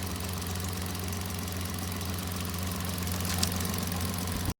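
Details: Suzuki 30hp outboard idling steadily with an even low hum and no knocks or misses, after a no-start fault was traced to the neutral safety switch not engaging when shifting from forward to neutral.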